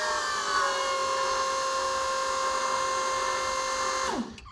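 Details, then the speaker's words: Economy SPL26-60 scissor lift (bought salvaged) on charged batteries, after drop solenoid rewiring, raising the platform: steady, even electric pump whine at one pitch, winding down cleanly at shutoff. Normal hydraulic pump run. "let's see i'll do it for the official rise we'll see if it's going to rise up how it works"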